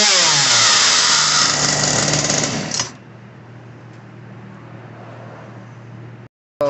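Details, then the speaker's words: Ryobi RY3714 chainsaw with a high idle, suspected customer-altered carb: a loud, high buzzing rev falls sharply to a low, even putter as the idle screw is turned down. Full-down idle bogged slightly, so the high-end screw was turned slightly. "see when i got the idle all the way down it bogged a little bit so i went to the high end and turned it just slightly to get rid of the bog a little bit"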